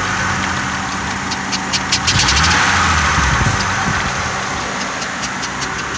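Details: 2000 Honda Accord V6 at idle: sharp, quick ticking about three or four a second. Suspected exhaust leak at a vacuum hose or spark plug; plugs were replaced two weeks earlier after a misfire. Unconfirmed.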